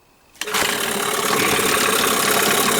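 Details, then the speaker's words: New Hangkai 9.8 outboard in a break-in barrel, ignition timed to the Tohatsu manual (2.5° at idle, 26° at wide-open throttle): a single left-hand pull fires it into a crisp, steady buzzing idle. No stumble or misfire; it starts cleanly. "2,5 градуса на холостом, 26 на максимальном открытии дросселя. Двигатель запускается, ну, левой рукой."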